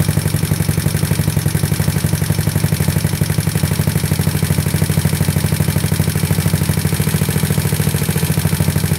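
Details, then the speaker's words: GY6 157QMJ bored to 61mm, A9 cam, PD24J carb with 35 pilot/108 main jets, free-flow exhaust, cold on automatic choke: steady, quick, unbroken single-cylinder putter while warming, settling near 1800 rpm and about 14.7 AFR; normal cold idle. "these autos don't really are pretty crappy a manual choke is the best way to go so now I got to wait for it to level out"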